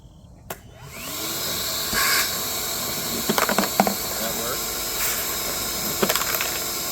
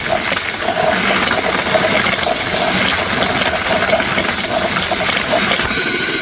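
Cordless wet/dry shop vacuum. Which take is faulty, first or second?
first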